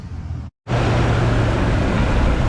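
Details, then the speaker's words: Toyota Tundra 5.7, after replacing squeaking idler pulley and restoring belt tension: engine idling with smooth even hum, no chirp or squeak from the belt; belt drive squeak-free again. "running, and it is squeak free once again."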